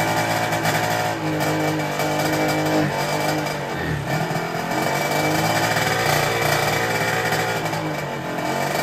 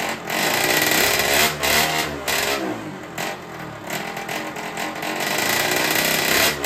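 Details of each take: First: Derbi 50cc two-stroke after fitting a 24 mm Polini carburettor and sealing an exhaust leak: the engine revs cleanly with the throttle, with far less rattly, tinny clatter, running much better. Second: Derbi 50cc two-stroke with freshly fitted 70cc cylinder, 24 carburettor; raspy buzz that surges and dips irregularly; owner suspects the carburettor, not confirmed: rough running.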